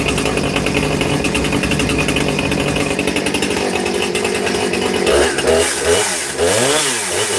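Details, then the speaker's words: New Husqvarna 460 Rancher chainsaw, first start out of the box, apparently already tuned: crisp even two-stroke idle then clean blips up and down in revs, normal running. "Sounds like it's running really good right out the box. So, that's that's nice."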